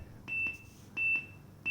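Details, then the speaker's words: Bumpboxx Ultra speaker during a firmware update from USB: short high-pitched beeps about every 0.7 seconds that never stop, still beeping after an hour. The update is stalled and failed. "I thought, oh great. But it doesn't stop beeping. I let this thing sit and I left for an hour and I came back and it's still beeping."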